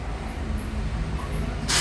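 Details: Hyundai i10 after TPS relearn via scan tool special function: idle drops from 2,000 to about 900 rpm and holds steady and even, no surging; normal idle restored.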